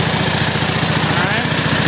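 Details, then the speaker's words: Pump engine on a 1989 Ford F-350 brush truck at 100 PSI as the tank is bypassed for shutdown: steady idle with an even low pulse and no knocks or rattles, winding down. Normal, healthy. "all right as you can see see has a nice smooth quiet 100 PSI right there"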